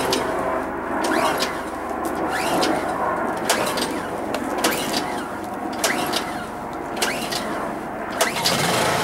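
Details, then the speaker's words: Honda EU2200i inverter generator whose carburetor was fully drained after last use. Repeated recoil pulls, about one per second, with no firing; it took about 10 to 11 pulls to start: hard starting from dry carburetor. "So turn this on, and since I completely drained the carburetor last time, it's gonna give me a hard time to start it up because it's completely dry right now."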